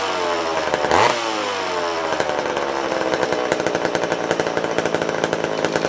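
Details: Old vintage McCulloch chainsaw restarted after long storage: blips then steady high revs with fast light ticking rattle; owner suspects the clutch hitting the clutch cover.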